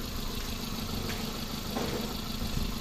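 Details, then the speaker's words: 2008 Hyundai i10 automatic petrol after top overhaul for misfire: steady, even running hum, earlier tapping noise from the side now gone; engine sounds smooth and healthy. "Wala na yung lumulugutok diyan sa gilid oh. Ibang-iba na."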